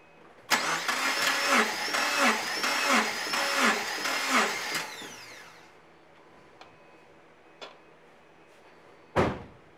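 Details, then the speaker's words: 2008 Subaru Impreza compression test: starter cranks about four seconds with steady, lopsided chuff; zero compression, due to a broken passenger-side camshaft from low oil. "oh that's not good oh that's not good at all oh that's not good at all I get zero Wow I'm going to do this test once more with our battery charger hooked up zero compression not good"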